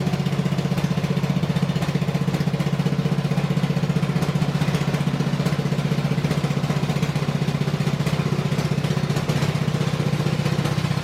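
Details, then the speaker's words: Husqvarna RZ30 zero-turn mower with Briggs 16.5 hp engine, which had been sitting a while: it runs loud and raspy with the sharp bark of a pretty bad exhaust leak. "got a pretty good exhaust leak. I don't know if you guys heard it when it was uh coming in. It was actually really loud and it was basically the exhaust that was doing it."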